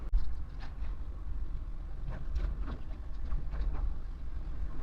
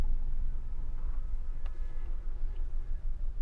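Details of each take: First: Maruti Alto K10 AMT petrol engine idling steadily with a low hum, no stumbles, a few handling clicks, after cleaning during misfire, low mileage and pickup diagnosis; fault code now pending. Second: Low uneven idle rumble that stumbles and dips on a Maruti Alto K10 AMT with blinking check-engine light, code cylinder 3 misfire detected, poor mileage and pickup; misfire from shorted coil and fouled plug.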